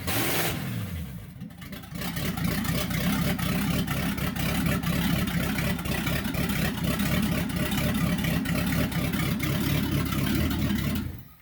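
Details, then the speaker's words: 1964 Chevy C10 pickup with freshly built small-block Chevy V8, first start-up: deep, throaty V8 lope swelling smoothly with each throttle blip and settling back; healthy. "yeah like a throaty v8 for you yeah yeah that sounds good"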